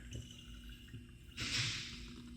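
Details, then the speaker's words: Passenger-side shock absorber hand-cycled off the car: rod drops almost under its own weight, with spots of no resistance; short wet gurgle and hiss of fluid and air bubbles sloshing inside; damping has failed, definitely broken shock needing replacement. "Do you hear that fluid and those bubbles, the air? And look, there are areas where it's super easy move. So this one is definitely broken shock."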